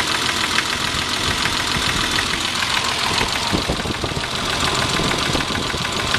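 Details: Possible piston slap or rod knock: hissy idle with a loose, slightly uneven knock near three per second over the engine; engine knock at idle, cause undetermined.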